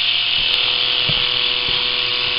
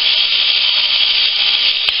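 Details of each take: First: Philips cordless rechargeable electric shaver, fully charged but measuring only 1.25 V at the motor, before modification: thin, steady buzz with a lazy, uneven rattle. The cutter motor turns slowly because it is starved of voltage, so shaving takes very long. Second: Philips cordless shaver after modification, with the charging system removed to change the DC supply: a high, even, fast buzz with constant pitch and no rattle. Normal motor running.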